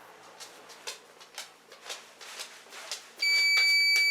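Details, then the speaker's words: Old 2014 Lorex security camera recorder (LHV100800), hard drive replaced a couple of years ago: soft chirps about twice a second, then a loud steady high tone; constant alarm, cause unknown. "Yes, I have a security camera system and it's beeping and it's been driving me crazy, so we got to get this fixed."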